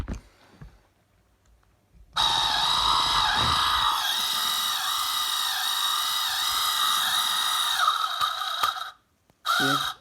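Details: Lesu skid steer RC motor gives a thin whine whose pitch sags and wobbles, bogging easily under hand pressure; gearbox spins free with no binding, so owner suspects the weak motor is causing the ESC to fail.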